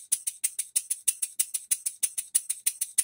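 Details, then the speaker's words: Rebuilt English bar-stock model engine on air after reassembly, with new crosshead and main bearings, reamed cylinder, new silicone-ringed piston, valve timing set; crisp even exhaust puffs about three a second, steady, no knocks, running sweetly. "I like it guys pinch back here to it a little bit really nice well guys she runs but she still needs a base"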